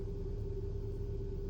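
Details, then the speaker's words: 2012 Hyundai ix35 G4KD, 202,000 km, AWD automatic, after full rebuild for scuffed-piston knock with block sleeving and threaded oil jets, first start: smooth even idle, steady low hum, oil pressure up, no knocking or ticking; normal idle. "Так, машинка заработала, давление пошло, всё хорошо, всё тихо."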